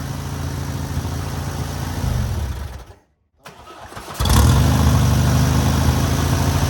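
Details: Newly rebuilt air-cooled VW 1600cc flat-four on its first start and break-in: steady low even beat, a brief cut, then it catches again and settles into a smooth idle; normal running.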